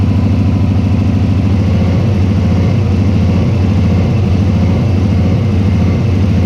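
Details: Turbo Subaru idling funny and misfiring after leaving work, hesitating on acceleration; a hose hole found where it touched the turbo, but the cause turned out to be a failed idle air control valve; low, lumpy, stumbling rough idle.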